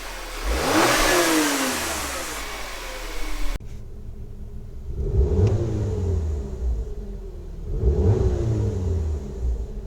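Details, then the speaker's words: 2013 VW Tiguan 2.0 TSI, automatic, code P0299 low boost, stationary revs rising and falling: light metallic rattle from a loose turbo wastegate actuator arm, mostly when rpm drops from 2000–3000 off throttle; the fix part is rod rattle clip 06J145220A. "my turbo does have a rattling noise from the waist gate arm so the rattling noise actually comes on more often after a acceleration and you let go of the throttle and rpm drops between maybe 2000 to 3000 rpm you'll hear"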